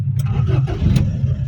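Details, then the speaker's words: Carbureted car, cold morning start with no choke after pumping the pedal a few times: engine catches and settles into a low, slightly uneven idle below 1000 rpm, around 700-800; pulling the choke then raises the rpm. "Ya ini kan udah bisa hidup ya tapi ah lihat tuh RPM masih dibawa 1000 dibawa 800 malayah mungkin itu 700 ya"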